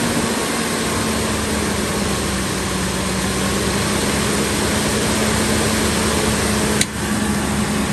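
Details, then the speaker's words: 2003 Ford F-350 Super Duty 5.4 L, after replacing the seeping passenger-side exhaust manifold: steady smooth idle with no ticking from the manifold side; normal idle. "That's how it's supposed to sound. Look at it. You gotta fix that. You don't hear anything, guys. Look at that. It's a smooth running engine."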